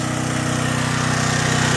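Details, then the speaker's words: John Deere/Briggs and Stratton generator, warmed up, after cleaning a carburetor gummed from years of sitting and replacing rotted fuel lines: 1500 W load on the left-hand outlet, engine loads down slightly with a smooth steady beat, no surging; running properly. "Now you'll hear the engine load down just a little bit. I'm going to try the high setting. Hear the engine load a little bit. It's 1500 watts."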